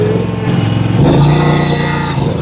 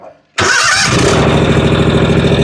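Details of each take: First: John Deere 757 Z-Trak zero-turn mower after the fuel problem was fixed: the engine pulls steady and even while cutting grass, with no surging or stumbling under blade load. It is running normally. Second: John Deere 757 Z-Track zero-turn with new starter and new air filters: cranks, catches on sprayed 50:1 fuel and rattles into a rough, uneven run, then dies without it; fuel starvation.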